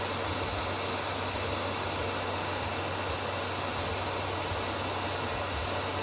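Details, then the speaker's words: Inverter welding machine after repair: the cooling fan makes a loud, steady rush of air over a low hum, loud enough to mask the relay click; normal cooling fan operation. "Very hard to hear how the relay turned because of the cooling fan noise."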